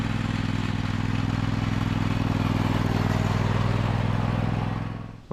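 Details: 2003 John Deere L120 hydrostatic mower, Briggs 20 hp V-twin, after bleeding the hydrostatic transmission: steady even low thump at constant speed, no knocks or squeals, then cuts off; healthy.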